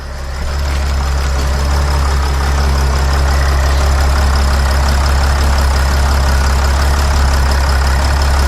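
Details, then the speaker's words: Sprinter van 3.0L diesel, after engine oil cooler replacement, restarted: settles straight into deep smooth constant idle with no hunting or knocks; no dash lights, engine running fine, fixed. "I like how the engine sounds there are no leaks around the engine this is good"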